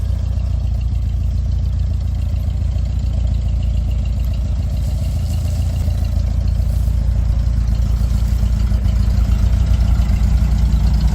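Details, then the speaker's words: 1969 VW Beetle air-cooled flat-four after overhaul and Solex carburetor rebuild: even steady putter about 214 beats a minute, no misses or stumbles; best it's run since overhaul, normal running. "And that's the best it's run since we've overhauled it. So, it's it's running really nice."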